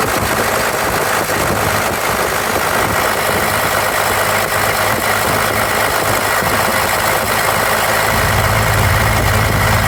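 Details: 1993 Dodge D250 with 12-valve Cummins diesel misfiring at idle: lumpy clatter with irregular dropped knocks. Injectors, lift pump, fuel shutoff solenoid replaced, valves adjusted, ran from fuel can, compression 400 psi all six; owner suspects injection pump.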